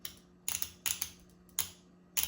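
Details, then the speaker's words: Transmission shift solenoid from a 1993 Honda Accord, bench-tested with direct battery power and ground because a bad solenoid was suspected of causing shift issues. It gives crisp, clean paired clicks with a faint hum, so it is working normally. "As you guys hear that, that's just opening the little solenoids, and that is telling me that it's working without any issues."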